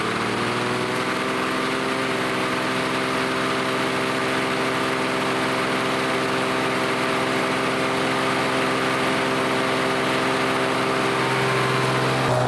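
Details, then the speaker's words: Vintage Lawn Boy Gold Series 4.5 hp two-stroke mower, repainted after curb find; steady even buzz at constant speed with no misses, knocks or surging, running smoothly and healthy. "you know it's looking a lot better than it did for sure and also it's running pretty good"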